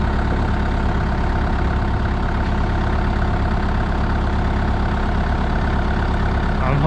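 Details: Used Moffett truck-mounted forklift diesel that won't shut off: steady low idle chugging evenly with no stumble after battery disconnected; engine keeps running, cause unknown.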